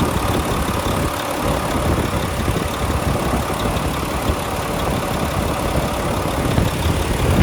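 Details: 2014 Volvo VNL64T300 day cab, D13 diesel, 13-speed manual, running with a check engine light present, low idle at 700 rpm: steady even rumble, no knocks, misses or rattles; smooth healthy idle.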